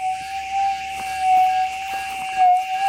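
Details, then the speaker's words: Gold metal detector with RX (receive) gain turned up for demonstration: steady whistling threshold wavers with small clicks and dips; unstable chatter persists after ground balancing, so targets can't be picked out. "I'll balance there for you it's in Balance so it's not going to change anything it's still going to run unstable"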